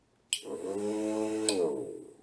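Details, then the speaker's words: Relay coil switched with 5 V driving a 6V DC motor via normally open contact (Arduino setup): crisp click, about one second of low motor hum, second click as relay drops out; normal relay switching. "you hear the relay switching and you can turn on the motor and it is working now with 5 volts because it's a mechanical contact and doesn't need power"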